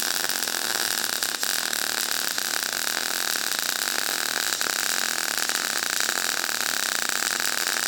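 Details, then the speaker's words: Everlast PowerMTS 141Si 120V welder in MIG mode, volts raised with faster travel: a harsher, uneven hissing crackle with spitting pops and more spatter. The arc voltage is too high, though the weld still looked solid. "Now it didn't sound as good or like weld as easily. I had to go a little bit faster too, and a little bit more splatter, but I think the weld looked pretty solid too."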